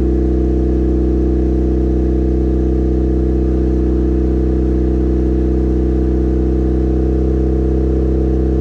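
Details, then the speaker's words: Built turbo 1.6 Mazda Miata after maintenance, warm idle: steady, even hum with unchanging pitch and no knocks or misses; normal idle. "So what I end up doing is I fill it up a little ways, start the car, let it run for a while, let it warm up, and then pull this out, and it should suck water in once it's actually hot."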